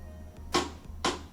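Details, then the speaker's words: LG WM2455HG front-load washer at cycle start: two sharp clunks about half a second apart over a low hum as the door lock tries and fails to engage, light flashes then dE error; faulty door lock. "you can hear that it's locking or trying to lock the door. And this light flashes and then it throws the error code DE."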